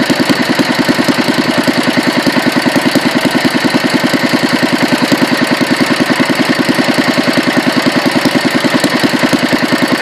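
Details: Petter A1 single-cylinder, second run after rebuild and another fine tune: steady, even thump at a constant beat, no misses or knocks; ran an hour with no hiccups until out of fuel; normal running.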